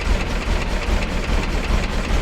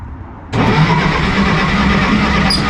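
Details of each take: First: 1953 Willys Jeep CJ-3B, first run after sitting three years, just started once the distributor rotor was installed; cold engine idling on full choke with a deep, slightly lumpy but steady low rumble; idle not yet adjusted. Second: 1953 Willys Jeep CJ-3B, parked about three years, points ignition, choke on, foot on gas: starter cranks steadily but it never fires. Fuel smell present; owner thinks the spark is too weak despite the coil being fine. Crank, no start, weak spark.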